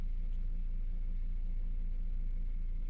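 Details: Vauxhall after replacing rocker cover to cure P0171 lean code, just started at 52 degrees, no fault codes: quiet even tick-over, steady low hum with no hunting, hiss or misfire; healthy idle.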